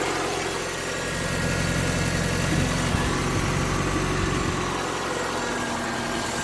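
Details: Mazda Miata with recently swapped engine, new clutch, throwout and pilot bearings, temporary intake, at idle: loose uneven rattle over low drone in the engine bay; location not pinpointed.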